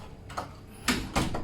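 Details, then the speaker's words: House door after oiling the hinges: it swings and closes with soft thumps and no squeak, opening and shutting smoothly. The earlier noise was likely from plastic hinge rings whose grease had run out. "มันจะปิดเปิดง่ายนะครับนั้นจะไม่มีเสียงดังแล้วนะจะลื่นเข้า"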